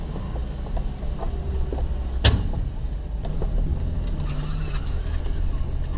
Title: Popping Sound